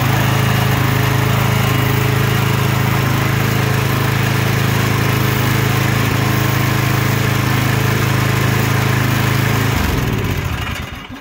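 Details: Murray 24-inch rear-engine riding mower, 190cc Briggs & Stratton, after carb clean plus fuel tank and line flush for milky bad fuel: steady, even hum with no misses or surging, then a clean shutdown.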